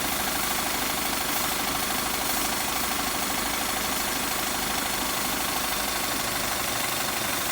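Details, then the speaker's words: Toyota 3SZ engine at idle, oil pan previously replaced: steady idle with sharp repeated knock about three times a second from the sump area; owner suspects crankshaft touching the oil pan, unconfirmed. "вот эта [ __ ] когда Тарахтят такой что мы не слышали ещё некоторые детали внизу есть звук"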